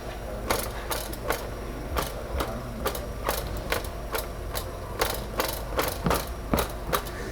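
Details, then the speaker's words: 2018 Honda Accord 2.0 turbo with a suspension-area noise: irregular hard clattering bursts, like gravel rattling in a box, as the loose underbody protective cover is shaken; the cover seems to be full of stones. "parece que está cheio de pedras aqui dentro e é bem na região que a gente escuta o barulho é pedrada"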